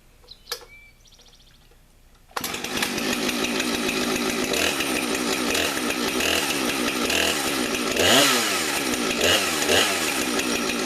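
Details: Husqvarna 455 chainsaw, almost 5 years old, on its original chain sharpened once: fires after a couple of seconds into a steady high buzz with even throttle blips. Clean, healthy running.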